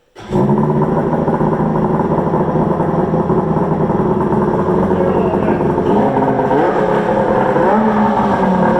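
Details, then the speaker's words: Polaris 680 Ultra triple two-stroke with freshly built engine, assembled that morning, and new Tim's precision water pump; fires quickly and settles into a crisp, even buzz with a clean, steady rhythm, a healthy triple running well. "Sounds amazing. Love it. Fresh engine, just built it this morning. Put a new Tim's precision pump on it."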